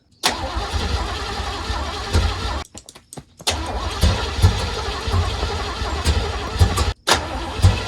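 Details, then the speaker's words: 1980 Pontiac Grand Le Mans small block, cranking. Starter bursts with brief stumbling catches that die. Accelerator pump not working, fuel not reaching the gummed-up carburetor. "The accelerator pump is not working. Fuel is not actually getting into that carb."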